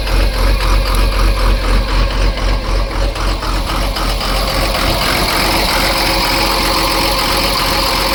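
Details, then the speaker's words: Cummins diesel in Ford F750 truck, first start after sitting years: lopes with uneven pulse a few seconds, then settles to steady even clatter once the empty fuel filter filled; normal idle. "I'll let it idle and see what happens. Well, that sounds better. Let it run a while. Make sure that skip is gone."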